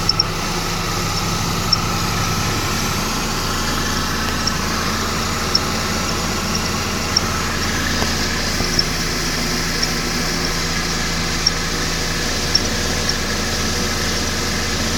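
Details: 2011 Mercedes-Benz E350 idling: short high chirps from belt area every second or two; belt tensioner seen moving in sync with the squeak, cause unconfirmed.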